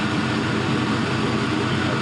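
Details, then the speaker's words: 5.3L Gen 3 LM7 V8 with 180k miles, idling warm at 170°F coolant temperature: deep, steady burble with an even, unbroken beat, no smoke, no misses or knocks; normal idle. "170 degrees. see no smoke, just some good noises coming out of there."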